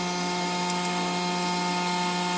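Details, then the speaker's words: Customer-returned Grundfos SQ 3" submersible pump (SQ190/SQ200) in a test tank at 100 PSI, delivering 4.5 gpm; it deadheads at 120 PSI. Smooth, constant low electric hum with no knocks, rattles or surging; normal running under high head pressure. "we're at 100 we're at 4 and 1/2 gallons per per"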